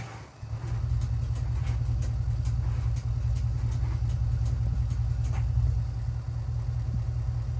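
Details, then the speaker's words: Cold start attempt on 1967 Mercury Park Lane, 410 Ford FE engine, on jumper cables: low labored cranking barely two or three turns a second, no firing; battery too weak, timing needs adjusting. "Battery is deader than I thought."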